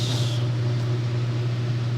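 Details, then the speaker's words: Vintage Lennox blower running on a new belt: a steady low motor hum under an even airflow rush, no knocks or squeal; normal motor noise carried into the chassis, with no isolation between motor and blower housing. "that noise is just the motor there's no isolation between the motor and the chest with the motor in the blower chassis"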